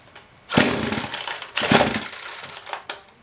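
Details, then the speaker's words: Poulan Pro PP4218AV 42cc chainsaw with primer bulb, titled as having a cold-scored piston. Two short, ragged bursts of running stumble and die; the owner believes the problem is spark-related. "well i did i got a new one because the problems i was having it's definitely spark related"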